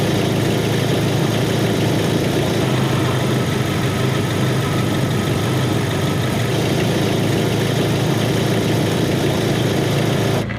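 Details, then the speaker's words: 1998 Jeep Wrangler 2.5 L inline-four, about 173,500 miles, right after oil change from Mobil 1 10W-30 to AMSOIL with Mopar filter, oil pressure at 40; low steady idle, even beat, no knocks or misses, sounding smooth. "got a run in now she's sounding really smooth we're gonna go do a pull on the road there see how she runs"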